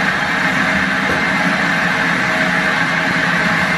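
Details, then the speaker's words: Lifted limo golf cart on jack stands after fitting a used replacement rear axle; loud, steady grinding whine with a harsh edge, louder than the original bearing noise, suggesting a dry, worn differential. Diff to be drained and checked. "well that sounds louder than my original problem we need to drain the diff let's see if there's anything in the diff on this used axle"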